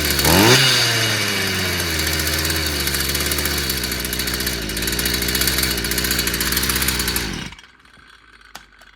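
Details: Stihl FS55 brushcutter that wouldn't start despite new plug and carburettor; fires at once, revs sharply, then holds a steady clean two-stroke buzz before shutdown. Cause was simply a clogged exhaust/muffler; runs properly now.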